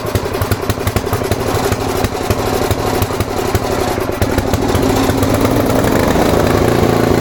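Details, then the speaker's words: Tecumseh-powered Snow King snowblower, stored all summer with fuel and oil drained, started on choke after priming: small single-cylinder fires, stumbles briefly, then settles into a quick, fairly steady putter that picks up slightly; normal running. "Fuel's now dripping out of the carb from priming. And that sounds good."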